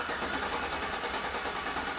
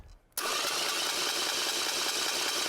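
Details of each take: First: Healthy starter cranking, measured with a clamp ammeter on the starter cable: steady, even whirring at constant pace, no grinding, clicking or slowing; draw peaks about 200 A then settles to 100–150 A, judged perfect. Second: Bench-mounted starter spins up into a steady, hissy high-pitched whine, meaning the pinion sits too far from the flywheel; the fix is removing shims to move it closer.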